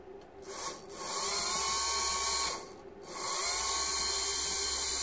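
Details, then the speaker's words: Mitsubishi Shogun HBB brake booster pump motor, removed and bench-tested after repair for no-brakes, ABS and brake warning fault: high even whir spinning up steadily with a brief pause, no grinding; working lovely. "we try the opposite way although the motor will only turn one way obviously and it's working lovely"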